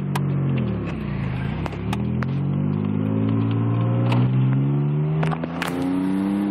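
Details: Mazda 626 on first drive after new wheel bearing and alignment: engine note climbs smoothly while accelerating, with none of the earlier grinding or growl from the wheels; normal wheel bearing.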